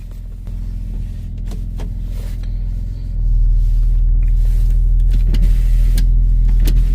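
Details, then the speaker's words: Mercedes GLC 43 AMG with cold tires, wheel at full lock, heard from inside: low rhythmic shudder, three to four skips a second, building as the car creeps; tire crabbing, like low-speed understeer. "It sounds horrible, it really does, but it's essentially like the car is understeering at low speeds. Let me see now if I can show you what that crabbing sound sounds like on the inside. Doesn't take much. As long as I turn the wheel lock all the way with cold tires, it's gonna crab."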